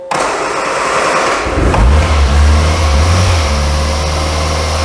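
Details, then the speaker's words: Barnfind Austin Allegro, A-series engine, off the road for years, battery charged and fuel primed to tiny carburetor float bowl: catches after some cranking, settles into a steady even idle with clean blips; healthy and willing. "Listen to that A series sing. How can you not have a soft spot for a car that ready, willing, enabled?"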